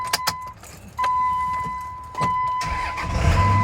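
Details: 2001 Dodge Ram 2500 4x4, 5.9 Cummins diesel, 6-speed manual, 81,000 miles: steady chime, starter whirs and the diesel catches into a deep, even rumble; healthy start.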